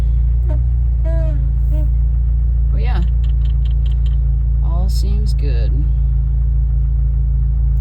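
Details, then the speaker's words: 1999 Jeep Wrangler TJ 2.5L after power steering pump replacement (old pump overflowing, little assist): steady even low idle, no whine or groan from the new pump; a separate steering-column squeak noted; normal power steering pump. "all right well I don't even hear it whining so let's go out and see if we have any leaks"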